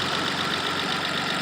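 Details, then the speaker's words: 1986 BMW E28 528e six-cylinder, warm after 30+ minutes running, day after repairs plus Lucas oil stabilizer, not overheating, idle possibly high (tachometer dead): steady hum with light regular tick, no misses or knocks, no smoke puffs; runs fine. "and other than it may or may not be idling high and it runs just fine nice growl response and no more puffs of smoke coming out of those things"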